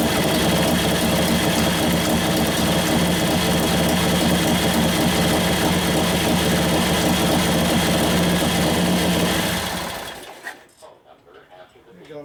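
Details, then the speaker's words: 1941 Harley-Davidson WLD 45 flathead V-twin, 56ci stroker build: fast even thumping on choke for ten seconds, then fades and dies abruptly once the choke is turned off; mixture leaned out, stalls. "When I turn the choke off, it died because I leaned it out."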